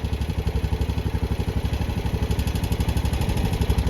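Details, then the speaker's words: Honda Rubicon 520 DCT ATV single-cylinder, 2,240 miles, 292 hours, ridden hard, valves never adjusted: steady idle with a light tap that comes and goes; ticking at idle, assumed loose valve clearance, not confirmed. "So we're gonna adjust the valves and hope that goes away. We can only assume it's valves."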